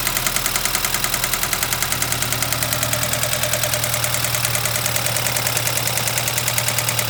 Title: BMW 2013 320i N20 Loud Ticking Noise